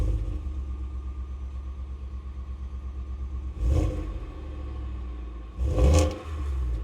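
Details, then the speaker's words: Full-size V8 truck at idle with two rev blips, heard at the rear exhaust pipe: deep, muffled rumble, slightly raspy on top. From the cab it sounded like a heavily muffled Gen 3 Coyote. Normal exhaust note. "From the cab, it sounded like a very heavily muffled Gen 3 coyote. What about it back here? >> A little raspy. I like it."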